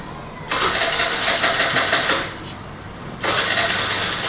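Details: TVS Scooty Pep+ scooter with a starting problem: engine catches with a sharp burst, sags out after a couple of seconds, then fires again and won't hold an idle; it stalls when the throttle is released.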